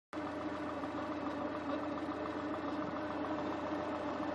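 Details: 2000 Peugeot 206 1.4i petrol: even idle with a steady, constant turbo-like whistle that does not waver, no warning lights on, temperature gauge normal at up to 90°; whistle at idle, source unclear.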